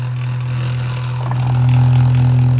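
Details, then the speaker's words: Hoover fan motor on its single speed, about 3,500 rpm: steady high-speed hum with a rough, gravelly undertone that never smooths out; the motor bearings are badly worn. "surprisingly does still work sounds like holy hell there she goes on the only speed it has spin at 3,500 rpms"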